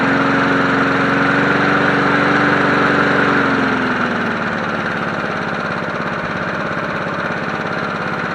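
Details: Free 1980s John Deere NO20K push mower as acquired, first run before maintenance, filmed from tripod: even, regular putter at steady pace easing slightly lower partway, no knocks or misses; healthy running.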